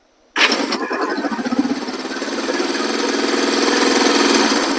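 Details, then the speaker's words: Vintage 1973 Honda CL/CB350 twin after a starter clutch rebuild: quick clean crank, catches at once and settles into an even idle. The previous starter rattling noise is gone. Normal electric start. "see it doesn't make the noise anymore man I'd like to have a new bike that starts that good"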